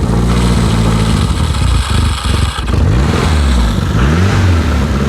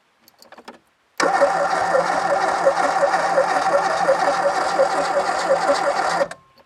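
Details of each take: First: Renault 5 GT Turbo barn find, unmoved since 2001, running on a bypass funnel fuel feed because the electric fuel pump failed, choke out: a deep, even engine note that rises and falls cleanly with throttle blips, no knocks or misses; healthy. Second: 1980s Renault 5 GT Turbo barn find, unmoved since 2001: steady cranking about three turns a second for five seconds, never catching. Spark present, but no fuel; fuel pump suspected not working.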